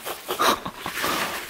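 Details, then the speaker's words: Polaris Sportsman 500 plow ATV bearing turned by hand: gritty, scratchy rasping in uneven bursts, because the bearing is very rough and water-damaged, with tons of water inside. "it's pretty rough in there oh boy there's a little oil looks like there is a little grease in there at one point it's a good thing we're getting this out because this is really bad listen to that"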